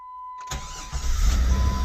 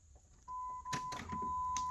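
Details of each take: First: 1999 Jeep Grand Cherokee, unstarted over a year, crank-no-start fixed by replacing crank position sensor: short crank, then catches at once and settles into smooth, steady run; normal start. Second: 1999 Jeep Grand Cherokee, crank with a noid light on the fuel injector connector showing no pulse: steady even cranking with no firing or catch; crank no start from a suspected failed crankshaft position sensor, passenger side rear of engine.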